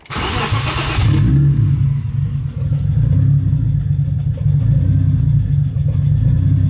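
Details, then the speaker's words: 1985 BMW E30 turbo, 2.5L M50 non-Vanos, Holset HX35, Megasquirt, no idle control valve, started cold after sitting four to five years. It catches into a slow, deep, uneven idle at 500-600 rpm that hunts slightly: a low rough cold idle. "so we're idling at like 500 RPMs to 600 RPMs it's not really the greatest"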